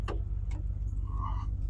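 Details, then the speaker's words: GMC Yukon XL running after restoration work, with destroyed centre-console wiring: sharp isolated electrical clicks a few tenths of a second apart under the dash over a low engine drone. "Yeah, we're still clicking a bunch under the dash."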